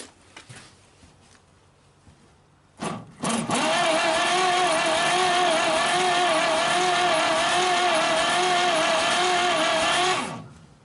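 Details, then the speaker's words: 1939 Chevrolet Master, stored 48 years, cranking for a compression test on number 3 with oil already in the cylinders. Steady starter whir with an uneven pulse about once a second. Number 3 reads only about 15 psi (number 1 had 30, number 2 had 40); the valves are not seating. "Looks like we got about 15. Yep, only about 15 psi, and that's after I've already put oil in all the cylinders, so it tells me the valves are not seating for sure."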